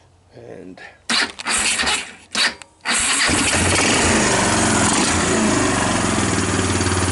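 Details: 2000 Kawasaki Lakota ATV after a broken fuse holder, the cause of intermittent starting and stalling, was taped up: brief cranking bursts, then the engine catches and settles into a steady, even idle. It starts and runs fine.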